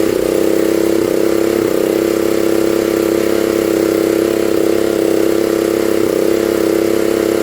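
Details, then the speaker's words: 1960s Honda ED250 DC-only generator, likely not run in years, revived; DC output measured around 11.5–18 volts. Smooth, even buzzing note at constant speed, no misses or knocks; running extremely well, healthy. "so we can run a good song about load on this a little bit on the video but don't she run extremely well"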